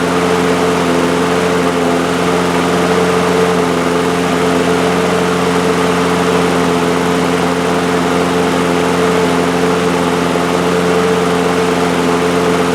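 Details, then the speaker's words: Two-year-old DeWalt mower with Briggs & Stratton engine, after fitting a new main jet: one-pull start, then a steady, even drone at a settled speed with no surging; normal. "I like that much better. We're back in business now. Enjoying a one pull start."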